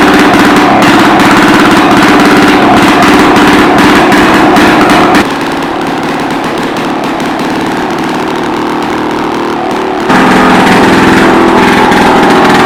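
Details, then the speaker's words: About 1946 two-stroke rototiller started after years of sitting: loud raspy buzz stuck at one fixed speed because the throttle cable is broken, kill switch not working, muffler very loud. "there you have it she's a runner throttle cables broke can't throttle it up or down kill switch doesn't work choke her out she's just as good muffler yeah she's loud I mean loud my ears are still ringing"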